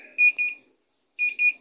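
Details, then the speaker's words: Panasonic 8 kg top-load automatic washer, repaired for continuous draining (water not held, no wash): two quick high beeps, pause, two more during spin dry; lid-open alarm sounding with no error code. "So, yan, kapag naka-open yung pinto, nag-error siya. Tumutunog lang, pero wala siyang error code."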